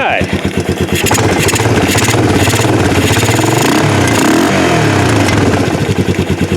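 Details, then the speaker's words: 1988 Yamaha Moto 4 ATV rescued from a field, running again in the shop. Even, steady single-cylinder putter with a few light throttle blips, no knocks or misses; a little smoky. Healthy running engine. "that sounds pretty good yeah she is a little smoky I think it's time for a little"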